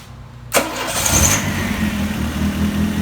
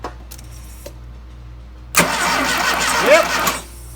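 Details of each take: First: Freshly DIY-rebuilt 175-hp Dodge 2.2L turbo GLHS engine swapped into a 1985 GLH-T, started roughly the 17th-18th attempt: short starter whirr, catches at once and settles into an even, steady idle. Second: Rebuilt 2.2L turbo engine swapped into a 1985 Dodge GLH-T: starter cranks at a steady rhythm for about a second and a half, never catches; no spark suspected despite coil being connected, cause unconfirmed.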